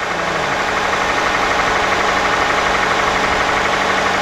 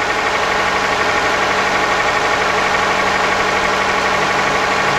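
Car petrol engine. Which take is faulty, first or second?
second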